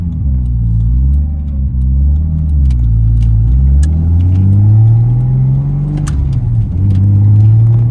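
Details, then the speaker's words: Big-turbo RB30-swapped Nissan S14 pulling up through the revs under load on take-off, uneven choppy exhaust beat; owner suspects a dying spark plug, plans new plugs and Splitfire coils before dyno tune. Misfire under acceleration. "hear that it just sounds a bit choppy and I'm not about it hopefully it's just a plug dying or something"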